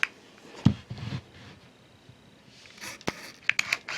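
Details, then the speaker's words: Olympus Stylus Infinity Zoom 115 DLX 35mm film camera on a 123 battery: sharp shutter click, faint high charging whine, then a crisp snap as the flash fires; normal shutter release and flash firing. "flash went off now if we set this flash to the little eye symbol it will do some extra flashing to try to minimize that redeye that is a problem in a lot of pictures"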